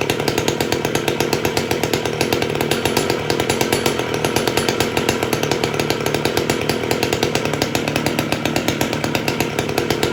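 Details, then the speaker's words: Rebuilt Stihl 015L chainsaw after a carb clean-out for running too high and sealer on the gasket: a fast, even two-stroke buzz holding steady revs with no surging or stumbling; it runs cleanly and sounds healthy. "runs good so we'll sharpen the blade or the chain and uh that'll be it but runs good sounds good"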